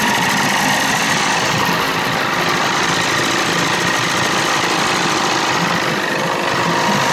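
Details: 30 hp Evinrude outboard running with carb at one and a half turns out, thin metallic squeal over the engine from a faulty starter; starter noise while running.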